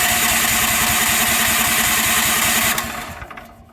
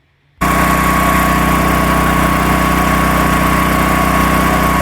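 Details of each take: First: Predator 13,000 W tri-fuel generator, first start on propane out of the crate: the engine fires and chugs unevenly at about two and a half beats a second, then dies; hard start from air in the propane regulator line. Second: Predator 13,000 W tri-fuel portable generator heard just outside an uninsulated shop door: loud but even, steady engine drone with constant hum, no knocks or surging; running healthy.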